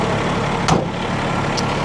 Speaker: So, I'm going to go ahead and push in the clutch and engage the PTO. So, you can hear the engine idle up a little bit.